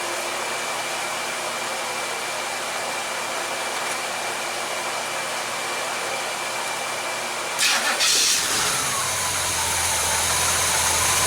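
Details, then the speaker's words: Chevelle whose oil pressure warning light never comes on, starting with a mechanical oil pressure gauge fitted: background hiss, then the engine catches and settles into an even, low idle at about 44 psi; normal idle. "we're showing about 44 psi at idle"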